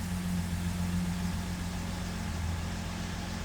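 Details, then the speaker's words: 1975 Jaguar XJ6 started after a fresh oil change, with the oil pressure light out and pressure building. Smooth, steady low idle hum with an even beat and no knocking or ticking. No leaks found, so a healthy idle. "Let's fire it up. Looking for the oil pressure light there to go out and for it to build some pressure."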